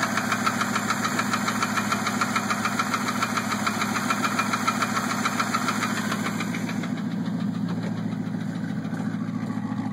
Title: Ticking sound